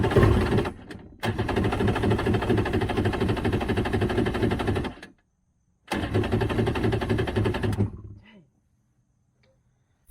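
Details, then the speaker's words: Two-stroke jet ski cranking sluggishly in two bursts, about three turns a second, each winding down without firing; weak battery cranks too slowly to start, earlier briefly ran then cut off; starting fluid sprayed next. "guys now it's wanting to start like really slow so i'm just gonna do a quick little spray starting fluid"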